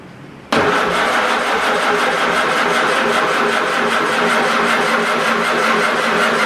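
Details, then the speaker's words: Farmall Super A with ignition grounds and wires reworked, cranking on ether: the starter churns at a steady pace for several seconds without catching; weak spark keeps it from firing. "well we did get a fire one poof of smoke out of the top so we're going to let this thing cool down a little bit and then we'll give it another try"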